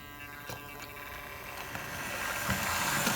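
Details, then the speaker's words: Hornby OO scale Flying Scotsman train set locomotive pulling away: steady buzzy motor hum rising slightly, faint wheel clicks on track; hum caused by interference from the cheap, lightweight set controller, which also holds speed poorly when slow. "did you hear that humming from the motor is the controller that's causing all of that interference"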